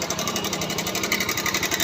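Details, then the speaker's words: Bajaj Pulsar 150 BS3 engine at idle: a fast, even metallic ticking rattle like a sewing machine, identified as timing chain noise. The tensioner is to be checked as the likely fault. "यहाँ से देखें आप, इसकी जो आवाज़ है वो यानी कि टाइमिंग चेन का आवाज़ है।"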